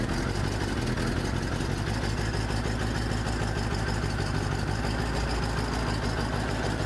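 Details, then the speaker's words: 1983 Ford E350 RV on an Econoline chassis, V8 with a blown head gasket, white coolant smoke and a slight oil smell, driven needing left-foot braking to keep running: a deep, lumpy, stumbling beat under steady road noise. "ht, that's a lot of white smoke. It's not really that black. So I don't think it's oil, I think it's just coolant. Or mostly coolant."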